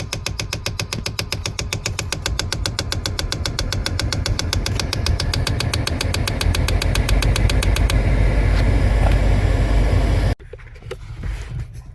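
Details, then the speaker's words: 2011 Kia Sorento 2.4L 4-cylinder: sharp, even clicking about four times a second from under the dash whenever the ignition is on. An A/C blend door servo motor with a broken gear tooth is jamming; the fix is replacing the actuator. "hi guys uh this is 2011 Kia Sorento so this car had a problem is when you put the key on it you can see the noise coming for the cell motor is coming in underneath the guy off the the bottom cover"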